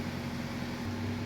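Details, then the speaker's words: Chevy with P0011/P0014 codes, first start after timing work, before warm-up: steady even idle with no ticking, rattling or knocking; engine sounds normal. "I'm not hearing any weird noises, so that's good. The engine sounds good."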